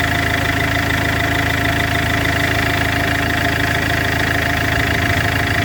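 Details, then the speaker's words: Iveco 2.3 16v diesel with damaged turbo: steady idle with a fast, fairly even rattle about three per second as the burst turbo wheel strikes its housing. "Está reventado. Porque tiene reventado. ¿Sí? Mira, mira, sí, está pegando contra la pared."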